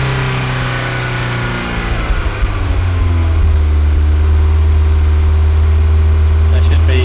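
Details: MG TF 160 VVC, rebuilt Rover K-series engine, warm after heat cycling: climbs cleanly from idle to higher rpm with an even deep drone, no rattle or hesitation; VVC mechanism checked on PSCAN and working as expected.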